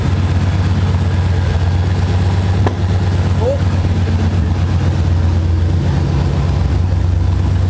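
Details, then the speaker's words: C4 Corvette after fuel pressure regulator replacement (old one corroded): lumpy, uneven idle that stumbles like a cylinder dropping out; car still shakes when put in drive, lacks power; still misfiring, cause unconfirmed. "yeah I think what are you guys seeing is every time I'm putting drive the car start shaking that means that means it's still missing fire there's no enough power"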